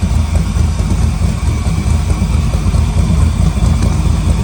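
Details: LS3-swapped 1972 Chevrolet Impala convertible after fixing misfiring cylinders and clearing the codes: a deep, lumpy V8 burble at idle and revving with steady firing and no misses. The engine is running properly.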